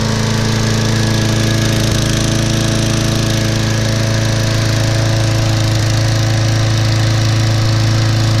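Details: Craftsman mower, Briggs & Stratton 6.75 gross torque 190cc engine, running after suspected thin 0W-20 oil replaced with SAE 30: steady even chug with smooth low drone, no misses or knocks; watching muffler for oil smoke, owner thinks it's overfilled.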